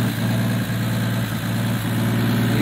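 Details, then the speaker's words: 1965 Plymouth Barracuda with points distributor: steady idle with fast light puffing tick from an exhaust leak between the intake and exhaust manifold, to be fixed. "can hear it's got an exhaust leak down here between the intake and the exhaust manifold."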